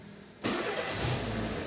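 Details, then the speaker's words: Renault Megane 2 with injection fault warning, check-engine light and poor pull; won't start on first crank hot or cold, fires abruptly on second and runs steady; sensors and wiring didn't fix it, ECU software fault, original software being reflashed. "Arkadaşlar bir daha önce bu araba Tek marşta çalışmıyor sıcak soğuk fark etmiyor hep geri marşa basıyorsun çalışmaya içinize çalışıyor arkadaşlar maçta almıyor arkadaşlar"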